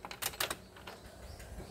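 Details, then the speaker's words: Isuzu 4HJ1 common-rail diesel, relay refitted, at key-on: a few light quick ticks from the throttle body then quiet, showing it cycles normally. "Tuh, dia ada bunyi di throttle body tek tek tek tek, baru dia insya Allah hidup."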